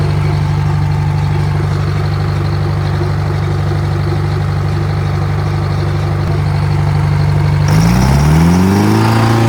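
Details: Old Detroit diesel on a rock crusher plant, first start in 3.5–4 years after a starter solenoid repair: deep, steady rumble with an even firing beat, no knocks or misses, settling into a smooth healthy run; normal running.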